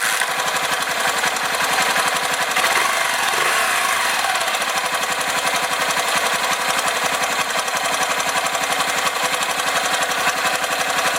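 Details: 1982 Honda XL500R enduro with 1978 XR500 engine, kick-started with choke out: single settles into brisk, even thumping idle with crisp exhaust beat, no knocks or rattles; runs healthy.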